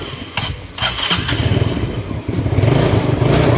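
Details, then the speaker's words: Carbureted scooter that stumbled and died from a float that had a hole and filled with fuel: cranks, catches and settles into a steady idle with no stumbling or dying; normal start and idle after the fix. "ay mga medyo Okay malaki yung pinagkaiba kumpara sa kanina talaga kanina namamatay talaga eh at rindi na guys"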